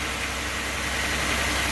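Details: Chevy Venture after a no-crank no-start emergency fix: steady, even idle with a smooth low hum and some hiss, no misses or knocks; engine running fine.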